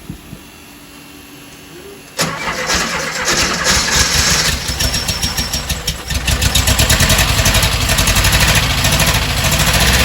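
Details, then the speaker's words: 1968 Porsche 912 with freshly rebuilt carburetors: cranks, catches, then runs lumpy and uneven with stumbling misfires; one side's carburetor gets no fuel flowing, a fuel starvation misfire after plugs were fouled during tuning. "there's no gas flowing through here really all right turn it off and you definitely have no fuel over here there's no fuel coming out no fuel there's your problem"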